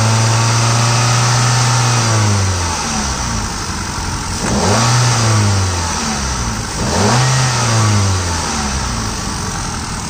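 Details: Grey Hyundai i10 Magna engine blipped from idle three times, tone rising and falling with a busy rattly whir on top; owner suspects timing-side noise and AC compressor noise.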